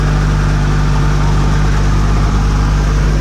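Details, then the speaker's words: Rotax 503 two-stroke on an aircraft, cold idle at about 1800 rpm (about 2000 expected when warm) after a new 12-volt fuel pump and fuel lines were fitted, pump off: steady, deep, even drone with no sputter. No bubbles in the lines. "Nice and smooth idle, no sputtering, very smooth."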